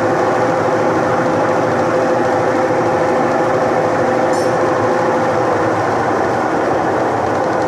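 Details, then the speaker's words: Electrolux washing machine after repairing the broken capacitor wire that had stopped it spinning: steady, even whirr with a faint constant hum, no knocking or scraping; spin cycle running normally. "então o pessoal aqui vocês viram que realmente a máquina estava com problema parou e não funciona mais não batia no centro gallina"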